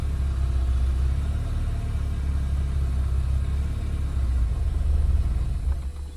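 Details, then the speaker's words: MK2 VW Golf GTI 16v first start after sitting for weeks, fresh battery; deep low rumble swelling and sagging as throttle eases off, barely holding idle before finally idling; struggling to idle. "Oh, nearly idled, nearly idled."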